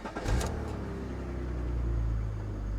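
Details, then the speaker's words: Sports car at a salvage lot, 20 years old, 161,000 miles, 75° day: quick crank, then the engine catches cleanly and settles into a low, smooth idle with no stumble or odd noises; a normal, healthy start. "she sounds all right 161,000 miles 75° today"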